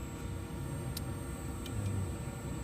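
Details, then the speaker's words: New Trane modulating gas furnace on a 20 SEER system after the flame sensor was cleaned: low roaring burner flame swelling and fading every second or so; gas surging from low supply pressure. "I can hear the gas surging up and down like all right we got it burning the whole problem pressure"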